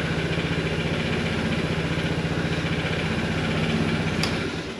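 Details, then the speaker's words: Vespa GTS 300 HPE scooter after 1,000 km break-in oil change: slightly noisier at first start then quiets, oil pressure light goes off; even, smooth putter at steady idle with no knocks or rattles, sounds healthy. "okay the oil pressure light came off that's a good sign and the engine when I don't know if you could hear it but when it first started it was a little uh noisier than usual and then it quieted down so presumably that means that the oil is circulating"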